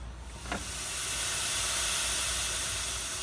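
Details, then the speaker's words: OBS Ford 7.3 Powerstroke truck with no A/C, empty system being charged with refrigerant through borrowed gauges: loud steady hiss of escaping gas reveals the leak at the condenser behind the trans cooler. "Is it coming out of it? That's where your leak is. You hear it? I mean, I hear it hissing. It sounds pretty loud."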